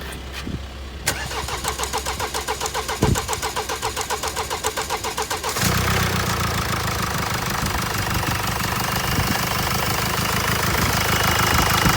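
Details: 2016 Mercedes E-Class with 654 diesel engine, after repair of a strange knocking noise: starter churns about five seconds, engine catches and settles into a smooth even diesel idle with no knock.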